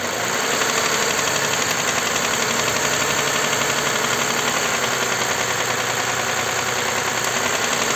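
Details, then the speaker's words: Toyota Highlander U50 3.5 2GR-FKS, 93,000 km: light irregular metallic knock about four a second at idle; dealer said hydraulic lifters, mechanics suspect connecting rod knock, worse when revs raised. "возможно Говорят это гидрокомпенсаторы стучит но мы так не думаем Друзья потому что здесь как будто бы стучит уже Шатун когда оборотку поднимаешь"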